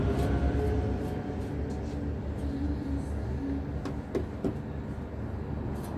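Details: Jaguar X-Type diesel with heavy, uneven knocking at roughly three to four per second over a rough idle; injector 4 being replaced for the knock.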